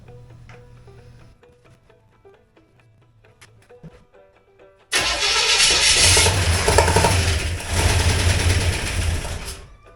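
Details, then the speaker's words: Chevrolet 283 V8 with a 2-barrel Rochester carb, after ignition timing was turned clockwise following a failed start: quiet ticking, then the starter catches and the engine fires into a strong, steady idle. It runs. "She runs."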